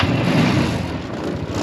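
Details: Yerf Dog Rover 150cc UTV with GY6 150cc single-cylinder engine: steady, even low drone with no misses or knocks; running properly.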